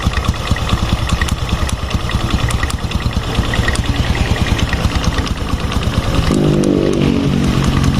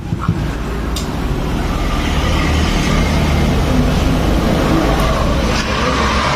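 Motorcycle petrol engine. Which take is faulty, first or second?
first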